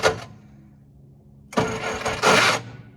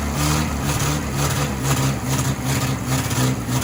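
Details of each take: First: 1966 Jeep CJ5 farm-auction project after clutch linkage adjustment and fuel pump work: a brief click, then about a second of uneven cranking that never fires. The starter's health is doubtful, and whether there is spark is unclear. Cranks but won't start. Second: 1966 Jeep CJ5 farm-auction project started on the key for road prep, not warmed up yet: an even, deep engine rumble holding a steady beat with no knocks or misses; running smoothly.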